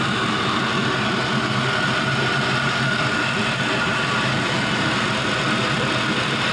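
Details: 5.3L Gen 3 LM7 V8 with 180k miles, idling warm at 170°F coolant temperature with no leaks: smooth, even low rumble, no smoke, misses, knocks or ticks; normal warm idle.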